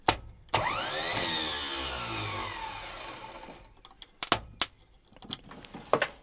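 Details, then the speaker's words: Chevrolet C10 Silverado pickup parked for 23 years, starter powered directly: starter whirs up and spins freely for about three seconds then winds down among clanks; starter motor works, solenoid suspected. "does the starter motor do anything now the motor turns yeah woo"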